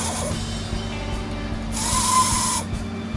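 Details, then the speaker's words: Aurora slot car motor run on a transformer for the first time: steady whir, then a thin high squeal from too little oil where the motor meets the body; fix is a drop of oil. "now you hear that squeal i don't think i got enough oil in where the engine comes down to the body so let me go ahead and do that"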